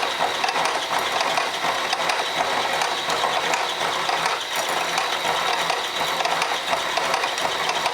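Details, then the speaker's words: Slitting saw in an older spindle holder, cut under constant pressure at low speed, nearly breaking through: gritty chatter about once a second over a steady hum; the machinist suspects the spindle runs less true than his 40-taper holders. "not a fast speed just constant pressure uh gets the job done we're almost almost coming through"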